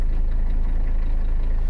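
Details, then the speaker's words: Abandoned 1985 Mercedes 300CD five-cylinder diesel, cold right after start with ether and primed fuel system, cleaned strainer: low even chug, no missing pulses, louder when cold; normal idle on all cylinders. "and once again she's running on all cylinders right out the gate just a just a smidge of chooch"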